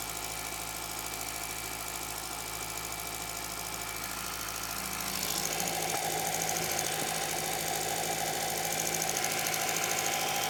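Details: MK4 Jetta 1.8T idling after head gasket repair with replacement head, new timing belt, water pump and thermostat; steady even idle, light regular top-end tick, no knocking or misfire; smoke, suspected valve cover leak from omitted camshaft covers.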